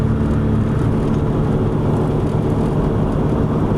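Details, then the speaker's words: 2001 Chevy Venture driving: steady low roar that follows road speed, present going straight and turning left, gone when turning right as weight comes off the right tire. The passenger front wheel bearing is worn. "But when you turn to the left, it's got a roar, and you can basically turn it on or off by just taking that weight off that right tire."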